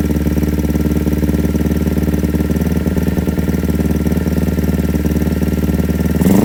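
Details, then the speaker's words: Kawasaki Ninja 250 carbureted twin before repair, hesitating and stumbling on throttle, running with open air filter, revs raised gradually: lumpy, uneven idle with light ticking, heavy pulsing chuff at the intake and stepped rise on opening. "Selain ngeliktik itu sudah bertangga-tangga gitu ya pada saat kita mulai buka, Guys."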